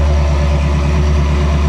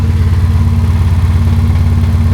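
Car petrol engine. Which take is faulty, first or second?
second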